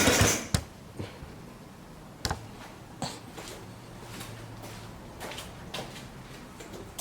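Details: Yamaha Badger YFM80 ATV, first start after new valves, piston, ring, cylinder and timing chain, exhaust blowing out water: coughs and pops irregularly, catches briefly into a low uneven idle, then stumbles; rough running.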